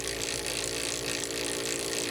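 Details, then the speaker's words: Tsubaki RS80 standard roller chain on two sprockets, 1 kN load, 100 m/min, about 75 dB on test rig: fast, even metallic clatter with bright rattling hiss, no low rumble; normal roller chain meshing noise. "the chain speed is increase to 100 m per minute the sound level is approximately 75"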